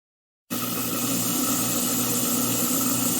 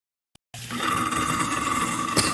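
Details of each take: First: Garbage disposer (food disposer, Badger/InSinkErator type) after freeing a lodged beef rib bone and pressing the reset button: steady smooth whir with water gurgling through, no hum or rattle; running normally again. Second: Garbage disposer (food disposer, Badger/InSinkErator type) switched on gives a harsh steady hum with rattling chatter instead of free spinning; a beef rib bone is lodged and jamming it, freed by turning the drum with an allen key, tongs, and the reset button.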